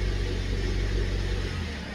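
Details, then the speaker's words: Mazda 6 in drive with foot on brake, revs raised: deep, heavy rumble with harsh rattling drone transmitted through the body; collapsed top engine mount. "so we're in drive but foot on the brake so we're not going anywhere and we're just going to bring the revs up and you can hear the rattling and everything and it's really really harsh through the body of the vehicle"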